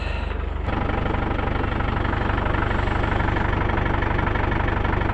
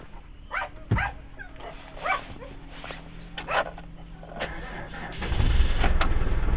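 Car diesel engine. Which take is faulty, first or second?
second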